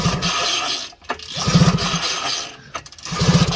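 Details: 1977 Ski-Doo Everest 440 snowmobile revived after years parked, motor reinstalled, carb not yet fitted: two recoil pulls, each a quick chuffing run of compression strokes fading without firing; turns over freely with even compression; normal cranking.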